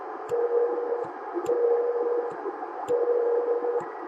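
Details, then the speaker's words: CB radio on receive with Starduster antenna at 52 feet: a steady mid-pitched whistle comes and goes in bursts about a second long over hiss and clicks, an annoying carrier tone heard on channel 40 but not 38, source unexplained. "40 39 40 39 it's kind of an annoying carrier sound"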